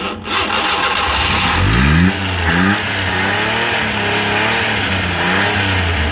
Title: Multicab 12valves hard start